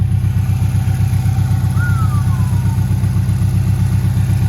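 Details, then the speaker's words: 2017 Subaru STI VA boxer, roughly 400 whp build, after valve cover reseal, cam gears, idlers, tensioner and timing redone: even steady low rumble with regular loping pulse, no knocks, ticks or misses; healthy idle. "This is good, man. I'm glad I got this. Sounds good."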